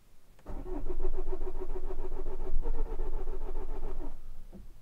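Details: Vauxhall Corsa D 1.3 CDTi diesel with intermittent non-start and code P0685, plus ECM communication/invalid-data codes and flashing warning lights: starter cranks steadily for about four seconds but the engine never fires. Cause not confirmed.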